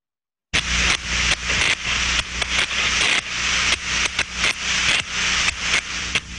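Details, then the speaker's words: Thermodynamic disc steam trap heard through an ultrasonic probe; a steady hiss with rapid uneven clicks as the worn disc bounces without closing fully. Partial blow-through, the trap passes steam inefficiently. "nie powoduje całkowite zamknięcie przepuszcza co dwa dni w sposób nieefektywny będzie miał częściowe przebicie"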